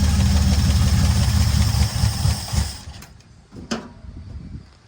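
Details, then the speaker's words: Barn-find antique classic car, first start after 33 years sitting, 50 lb oil pressure: a smooth, even low rumble holds steady, then is shut off. It sounds healthy despite a leaking fuel pump line. "Not bad, huh? It does have a 50 lb oil pressure and it sounds good. Doesn't look that good, but it sounds good."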